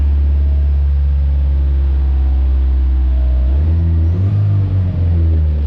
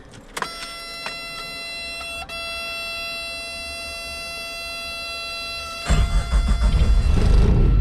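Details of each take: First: 1986 Suzuki Samurai turbo diesel after draining old diesel, fresh fuel and new filter; deep slow idle holding steady, then a quick rev blip; idle slightly low, owner plans to turn up idle or fuel. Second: 1986 Suzuki Samurai turbo diesel after draining old fuel, fitting a fresh fuel filter and refilling with clean diesel: quiet, then catches at once and settles into a steady, even clatter; normal start.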